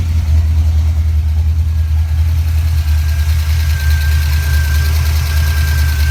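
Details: 1988 Mustang GT, 5-speed, with a rebuilt A9L ECU and a Pro Comp upper/lower intake that is cracked but thought still working. Deep, steady V8 idle with an even rumble and no knocks or misses; fuel pressure about 30 psi.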